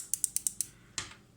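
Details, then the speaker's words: Defy microwave that kept popping its fuse even after capacitor and diode replacement: door interlock switches tested by hand, sharp clean clicks in quick succession; normal switch click, in contrast to the fried switch that doesn't click. "And this is a bad switch. Doesn't click."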